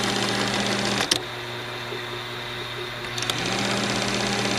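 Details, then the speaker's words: Movie projector: fast, even mechanical chatter that briefly slows, then picks back up to a steady whirr, running smoothly and faster than before; take-up reel still not working. "that sounds better it sounds a lot better it's going faster now"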